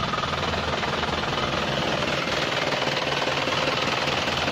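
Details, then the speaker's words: Used first-generation Isuzu Panther Kapsul diesel at idle during the engine check. Even, steady clatter with no knocks or misses, and minimal vibration with a stick stood on the engine, so the engine mountings are still good. Normal idle. "lihat suaranya ya, getarannya. Ini termasuk tidak ada getaran, kita cek yaitu kita taruh stick."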